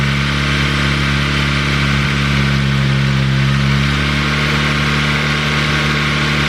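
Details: Ford Focus ST, first start of a new engine built with a Speed Performance pop-n-drop kit, after priming oil with plugs unplugged. Fast idle, steady hum over an uneven, lumpy pulse; rough, grouchy running, cause unknown.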